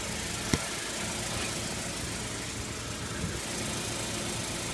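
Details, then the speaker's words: Saturn L200 after fuel pump and fuel filter replacement, heard from underneath the car: soft, even idle hum with no misses, knocks or ticks; engine running smoothly, no fuel leak seen. "There's the old fuel filter. You can hear it's running."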